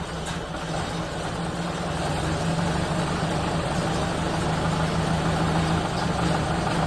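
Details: 1931 late Model A Ford coupe with a new Snyder 5.5 head, first start since a full engine teardown, in neutral with good oil pressure: low, steady, even idle that settles and builds slightly with no knocks or misses; it runs well.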